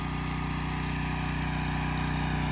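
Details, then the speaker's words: Subaru EA190V pressure washer engine after no-start fix, pump confirmed working: even, steady single-cylinder putter at constant speed, no misses or knocking; normal running. "engine sounds good see if that pump didn't work that's what it would be doing so I'm very happy with that"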